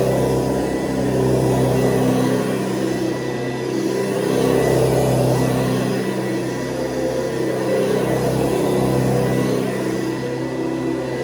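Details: 1970s Hoover Convertible upright vacuum (the last model shown), plugged in and running: a steady, fairly high-pitched motor hum, higher than the earlier model's low hum, even speed with slight airflow variation; motor running normally.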